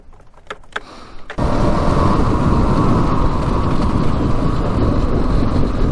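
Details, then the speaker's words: Stock Yamaha Raptor 700 special edition single, first ride before the top speed run: the engine fires and pulls strong and even, with no top-end rattle, no case leaks and no overheating; healthy running. "Alright, first ride was a big success. Engine sounds amazing on it. No rattling sounds from the top end."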